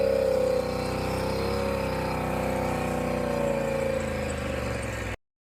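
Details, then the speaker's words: Polaris Sportsman (850 per title, 570 per speech) after new spark plugs and plug wires fixed its misfire: smooth, even run with a steady whirring tone, no stumbles or misses before shutting off; engine sounds healthy, more power. "Well, the parts came in for this Polaris Sportsman. New plugs, new wires."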